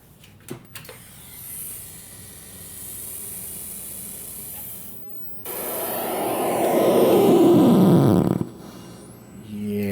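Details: Musketeer III PC vacuum-tube audio filter (2005), switched on after cooling down: switch click and quiet hiss, then a loud rushing roar through the speakers that swells for a few seconds and cuts off; noise lessens once it warms up.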